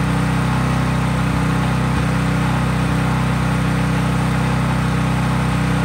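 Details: Craftsman 5000 W generator at full speed with only an LED bulb plugged in, effectively no load: steady, even drone at constant governed speed, no hunting or surging; normal no-load running.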